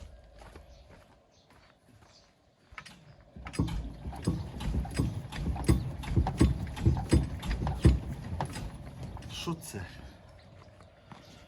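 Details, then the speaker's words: Tractor rear axle, wheel rocked side to side after a knock was felt while cultivating: irregular heavy clunks, one or two a second; bolts tightened slightly but the knock remains, owner unsure whether something inside the axle has come loose. "що це таке може бути Ану пишем варіанти короче бо це ну я не знаю короче як з цим розібратися так Ну що брато давайте пишем коментарії Що це таке Що воно стучить що могло що може бути откручено чи це в натурі внутри розкручено"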